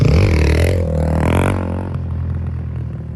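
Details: 2005 Honda CRF450X, sat 10 years, after blocking hot start and upping jets (main 190, pilot 45): single-cylinder thumper revs cleanly and settles without stumbling, crisp on throttle, no longer bogs; normal running.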